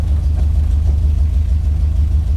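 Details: 1968 Dodge Charger rat rod on its first road drive after the buildup: heavy, deep rhythmic throbbing rumble while driving, nothing higher-pitched on top; a low-end drivetrain rumble, cause not confirmed.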